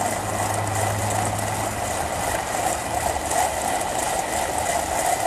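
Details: Steady, even hum at one pitch while the vehicle is running, over a quiet engine with no knocking or grinding; a constant humming drone.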